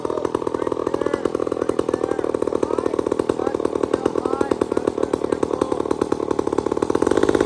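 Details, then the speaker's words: Old chainsaw with round chain, first cut in years, held wide open before cutting: burbling uneven four-stroking over steady buzz, mixture very rich; it four-stroked until it bit wood, then mixture retuned. "So what we do is I get him to crack it wide open, and you can hear it. It's fat as all get out. It really is."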